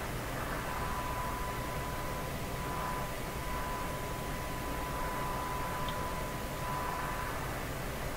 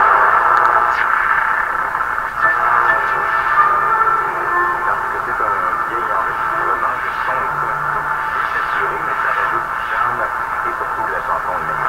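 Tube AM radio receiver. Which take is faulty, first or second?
first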